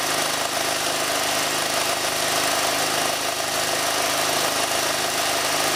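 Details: Ford Falcon AC compressor, dry and overheated, shedding Teflon, run after an 80W-90 oil shot: harsh rough clatter over a small engine's buzz; internals chewing up as it seizes, shaft splines chewed off the swash plate.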